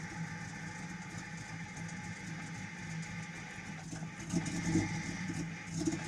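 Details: Jeep XJ Cherokee engine with an uneven, stumbling idle, irregular pops and a few sharp bangs late on: a misfire with rough idle and backfiring.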